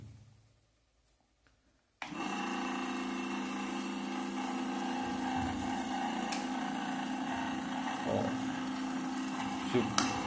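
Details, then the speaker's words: Ventisol electric fan brought in for noise and a blade that would not turn: motor hums with a light rattle and irregular knocking while the blade does not spin; the blade is loose on its shaft because the piece that holds it is missing. "ele faz barulho não gira a hélice E vocês viram que ele tava girando né"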